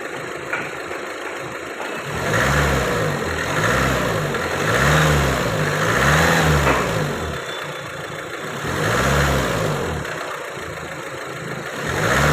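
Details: Renault Duster after cleaning injectors and coding all four injectors to clear cylinder 1 injector code: repeated smooth rev-ups and drops back to idle, no knock or tapping; earlier knocking noise gone.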